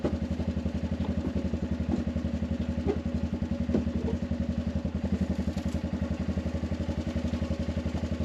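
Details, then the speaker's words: Arctic Cat 500 ATV outdoors near 0°F, running after no-crank no-start fixed by recharging dead battery: steady even thumping idle, a few beats per second, unbroken; running fine. "you hear the ATV running"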